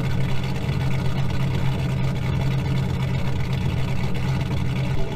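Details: 2000 GMC Sierra 5.3 V8 with Texas Speed Stage 3 cam (.550/.550, 216/220, 112 LSA) on factory stock tune, cold idle warming up; steady low drone with slightly choppy cam lope, no misses or knocks.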